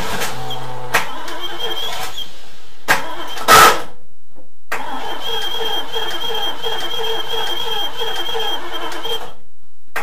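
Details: Barn-find 1971 Triumph Stag Mk1 3.0 V8 manual, after quick fuel system fixes: short bursts of cranking with brief catches that die straight away; fires but won't keep running; choke and vacuum pipes being checked, cause unconfirmed.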